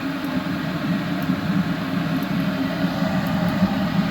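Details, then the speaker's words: Eberspacher B2 12-volt gasoline heater rebuilt from two units, modified start bypass, test fire after about 30 seconds: steady low roar with even flutter, no popping or surging; lit and burning cleanly. "So this should fire right up. And there it goes."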